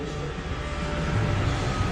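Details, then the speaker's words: Car with catalytic converters replaced by straight cat pipes: deep, loud, raspy, unmuffled drone under light throttle. Exhaust note with cats removed. "so that's the sound that exhausts just with the cat pipes out"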